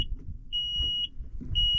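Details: John Deere 310G backhoe stuck in park, switch on with park brake on during troubleshooting (12 V constant power, ground suspected): shrill half-second beeps about once a second over low idle rumble; warning alarm sounding.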